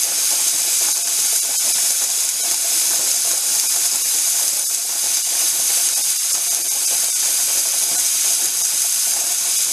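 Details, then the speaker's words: Mirro pressure canner canning corn: continuous loud steam hiss, weight jiggling nonstop instead of the recommended 3–7 times a minute; heat too high, being turned down. "it turned down the heat because it seems to be jiggling constantly and i've got my clock here i'm just going to count the jiggles"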